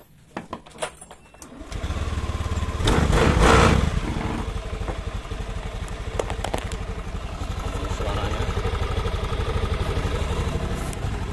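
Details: Honda Beat FI scooter after repair. Earlier it made a klak-klak noise from the rear CVT pulley at idle and on cold morning starts. Worn rollers and the worn roller housing were replaced. After clicks and a quick start, it settles into a smooth, even idle.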